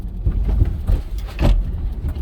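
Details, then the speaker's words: 2021 Ford Bronco 2-door Sasquatch Badlands, 2.7L EcoBoost, 10-speed auto, crossing whoops off-road at Moab: repeated deep clunks as the Bilstein position-sensitive shocks' bump-zone cups engage and disengage, a normal sound. "So when we're gonna plod through these whips here, you'll kind of hear the clunk, clunk, clunk. That's those cups engaging and disengaging."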